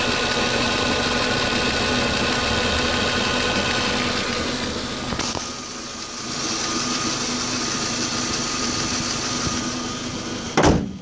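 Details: 2004 Audi A4 B6 1.8T petrol: rough idle, hum dipping and surging, began after new water pump (cracked impeller had caused overheating) and new timing belt were installed.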